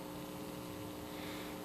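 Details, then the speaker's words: Firestone All American 5-tube radio after cleanup and resoldering, back in its case: a steady low hum under the audio output. Owner suspects wrong filter capacitors fitted by a previous restorer. Not confirmed. "there is a little bit of hum here like maybe it's got the wrong filters in it but I didn't do that I didn't do the filters"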